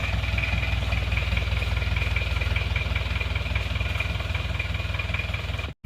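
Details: Isuzu Panther Miyabi diesel after engine rebuild, glow plugs not working so it was hard to start: steady idle clatter with even pulses, slightly rough while cold, then cut off; still smoking, normal cold idle.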